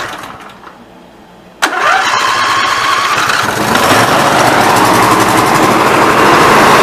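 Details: Snapper NXT 25-48 riding mower engine after carburetor replacement, test-run briefly with the cooling cover off: cranks briefly, catches at once and settles into an even, steady run that builds a little; normal start and run.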